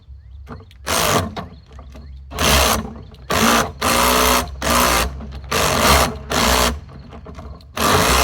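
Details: Lawn-Boy "bricktop" two-stroke mower on fresh 32:1 fuel mix: short whirring drill spin-over bursts with no catch or firing between them; owner suspects a plugged carburetor.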